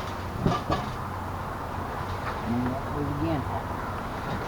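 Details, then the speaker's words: Charger for the Monster, flashing red error, then orange: two sharp relay clicks a quarter second apart over a faint hum as the charger cuts in and out; cause unknown. "hear the relay clicking. I have no idea why it's doing that."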